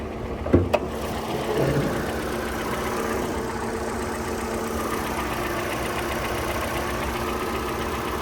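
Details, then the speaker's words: Hyundai Elantra at auction running with hood up; after a short rev a light quick regular top-end tick over idle, not from belt or exhaust, getting louder with revs. "Okay, it sounds like it's ticking. The engine sounds like it has a tick. Does not come from the belt, exhaust, none of that. And when you rev it up, it gets louder and louder."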